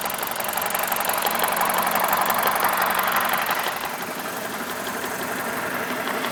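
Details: BMW E46 with N42 engine idling with the MAF unplugged, recorded up close: uneven, shaky beat about three pulses a second over a hissy mechanical clatter; rough idle persists.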